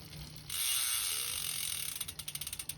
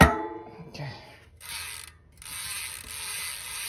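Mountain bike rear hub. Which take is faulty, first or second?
first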